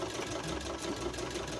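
Fast, even whirring clatter with a light steady tick from the mechanism at speed; it is noisy, but the cause is unclear.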